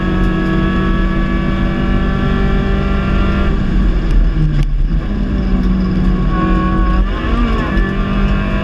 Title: Engine misfire Late into Race